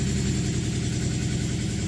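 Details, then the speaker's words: Nissan VQ35DE (G35/350Z), first cold start after cleaning, before throttle body/MAF idle relearn: steady fast, even idle sitting well above normal; high cold idle, usual stalling issue comes when fully warm. "the idol is really high now the car is not warmed up yet"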